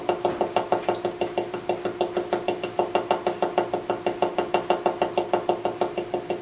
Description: Our AC unit makes this weird banging noise only if the fan is on AUTO when the temperature outside is over 80.